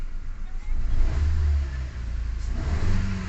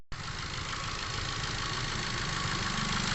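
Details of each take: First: Ford EcoSport automatic (stalling, codes P0130 and P2192): engine revs up cleanly in two smooth blips and settles back without stumbling or misfire. Problem solved, running normally. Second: Ford EcoSport automatic with stalling, codes P0130 (O2 sensor B1S1) and P2192 fuel control; lumpy, stumbling idle with injector number two showing no activity, one cylinder dead from a failed fuel injector.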